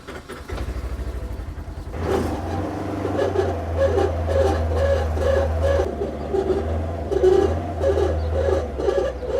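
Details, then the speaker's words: Polaris RZR Expedition while driving: rhythmic scraping grind pulsing about twice a second over the engine drone. The customer heard a grinding, whining sound. The cause is the driveshaft rubbing on the guard. "Customer brought it to me because they're hearing this weird grinding winding type of sound while it's driving."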